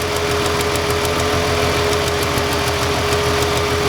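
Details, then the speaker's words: Ford Freestyle 3.0 V6 with no-code misfire on cylinder 1; uneven idle with light, fast ticking about three a second as the coil arcs internally, inside the coil or boot, with a weak spark; fixed by a new coil. "I can hear it arcing inside the coil when I move it. See how I don't even have, I move it just a little ways away, and I can hear that arcing. It's taking place inside the coil somewhere, or inside the boot."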